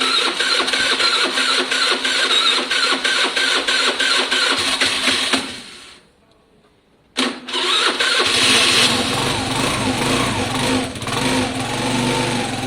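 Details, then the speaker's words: Piaggio Fly 125 scooter after carburetor swap: single-cylinder fires, stalls briefly, restarts and runs choked and uneven with hesitant revving; no more power than before, owner suspects valves, belt/crank drag or air box. "it doesn't feel as powerful or any more powerful than it was before when it was at when i took it for mot"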